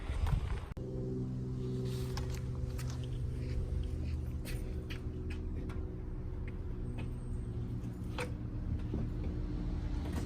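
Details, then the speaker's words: 2018 Subaru WRX base, Stage 1+ COBB tune, COBB intake, muffler/resonator delete, running: sharp metallic clack about three per second, then a louder roar. It began a week or two ago and grew louder; owner says it sounds like metal inside, cause unknown. "it sounds like metal clacking inside but I don't know just anything guys"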